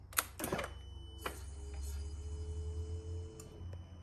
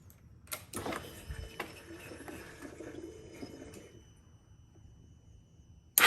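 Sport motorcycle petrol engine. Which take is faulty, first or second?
second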